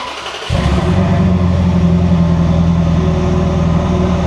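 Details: Ferrari 360 during misfire diagnosis, no check engine light, cylinder 7 coil already replaced, restart after crank-to-cam adaption reset: starter catches, settles into lumpy, uneven stumbling idle; misfiring.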